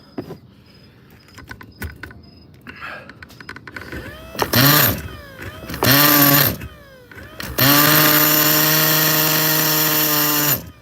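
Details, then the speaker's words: Nitro RC Mutant unboxing engine: three short high buzzing revs, each dying after a second or two; starts but stalls. Idle raised and mixture opened; owner suspects not enough fuel, a vacuum issue or carb issue. "it's almost there it feels like it's there I'm going to blow through it again maybe it's not getting enough fuel I think there's a vacuum issue"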